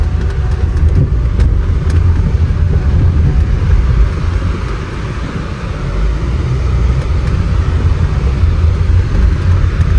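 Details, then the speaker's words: 2020 Range Rover Evoque L551 with AJ20P4 2.0 L petrol engine, moving on the road after a misfire repair: steady low road rumble with the engine pulling evenly, no stumble or jerk; normal running. "Yes, we'll solve this problem. Oh boy, the vehicle is moving."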